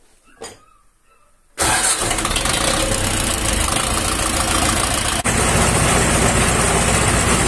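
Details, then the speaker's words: Diesel engine after repair of rising coolant level (feared welded cracked block; heads and leaking injector sleeves replaced, sleeves checked sealed); cranks briefly, catches into steady loud even idle, fault fixed, running cleanly. "No i usterka została usunięta tak jak tak jak wcześniej mówiłem no płyn chłodnicy się podnosił"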